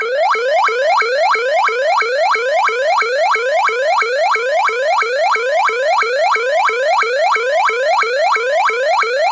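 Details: ADT SafeWatch Pro 3000EN alarm panel driving an ELK-110 siren driver, armed instant, tone switched: a rapid upward-sweeping whoop, about three a second, loud and steady; burglar alarm siren on its alternate tone.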